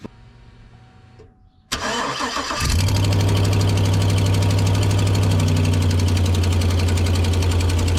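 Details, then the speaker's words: Chevy Silverado/GMC Sierra engine starting and idling with three broken exhaust manifold bolts: sharp steady tick about four times a second from the exhaust manifold leak. "there is one two three broken bolts for the exhaust manifold and there's actually exhaust leak right here so we'll start that up so you can hear that"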